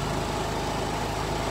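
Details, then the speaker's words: Kymco scooter after carburetor refit, fuel pump reconnected, fresh fuel, on troubleshooting battery: steady, even low putter idle with no misses or knocks, sounds considerably better; normal idle. "I added some fuel some fresh fuel let's see what happens here yeah and that sounds considerably better"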